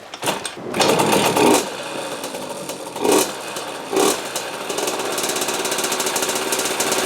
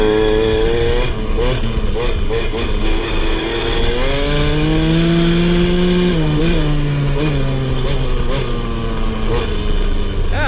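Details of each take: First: 2003 KTM 50 Mini Adventure 50cc two-stroke, clean carb and fresh gas, previously over-oiled (premix plus oil injection): revs in uneven bursts, sags and nearly dies, still smoking; stalling, likely from excess oil. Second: 2003 KTM 50 Mini Adventure two-stroke, choke off, on a test ride. The pitch climbs smoothly through the revs and drops back cleanly with no bogging or misfire: a normal rev-out with seemingly no tuning needed.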